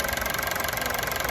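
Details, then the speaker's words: Honda City on CNG/gas, after replacing a leaking injector that caused stalling on gas, no leaks: quick even idle patter with steady ticking rhythm, no stumble or miss; normal idle. "ตอนนี้หลังจากเราแก้ไขอาการเครื่องยนต์นิ่งไม่มีรั่ว"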